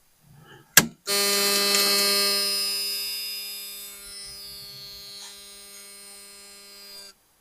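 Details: After weeks of fuel-system trouble on a car up on jack stands with about four gallons, a new tank sending unit fitted: steady high electric buzz with low hum at key-on for about six seconds, stopping cleanly; fuel pump priming normally.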